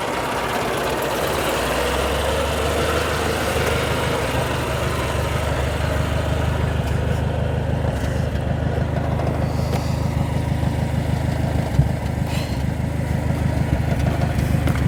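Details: 1932 Austin Heavy 12/4 Windsor, 27 bhp four-cylinder, idle control on steering wheel: engine catches and settles into a steady even low idle with soft regular beat, no knocks or stumbles; normal healthy running.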